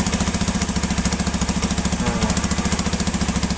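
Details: Honda Beat (old) motorcycle converted to full-wave charging with a Tiger regulator/rectifier and billet lamp; even, steady putter about three and a half beats a second, no misses or knocks. Healthy stable idle.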